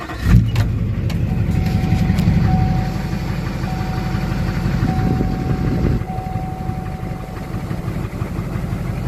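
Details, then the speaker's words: LBZ Duramax diesel truck first start after installing an HSP turbo mouthpiece; listening for intake hissing. Cranks, catches quickly and settles into an even, low clattering idle with no hiss or miss: normal start and idle. "Okay. Sounds good. Just listening for any hissing noises. I don't hear anything. Just gonna let it idle a little bit."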